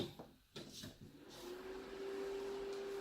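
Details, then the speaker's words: APC 1500 UPS (850 W peak, 600 W continuous) from a recycler, two batteries of unknown series or parallel wiring: relay clicks then a thin hum, unit keeps rebooting in a loop; owner suspects the battery, unconfirmed. "You can hear it? Constantly rebooting itself. So I don't know if that's the battery doing that."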